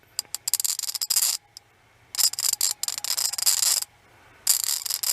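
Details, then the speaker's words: Ratchet ball screwdriver with worn, broken internals: rapid bursts of sharp, uneven clicks with short pauses, clunky and vibrating in the hand; seems like something is stripping inside, cause suspected, not confirmed. "Listen to this clunky thing. I can feel it vibrate right here on this orange."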